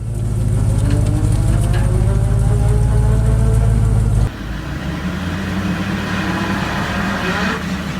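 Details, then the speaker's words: Vehicle differential with pitting and pits on the gear tooth flanks: under the driving drone, a steady whine climbs in pitch as vehicle speed increases, typical of pitted differential gear teeth. "Se observan como picaduras y pozos en el flanco del diente. Esto también suele presentar un ruido molesto, sobre todo cuando la velocidad del vehículo va aumentando. ruido como este."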